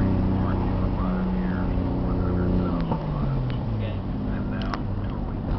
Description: Misfire due to bad coilpacks. Breaks up around 5000rpm falls on its face.